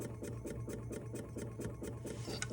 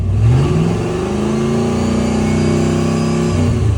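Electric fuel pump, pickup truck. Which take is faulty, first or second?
first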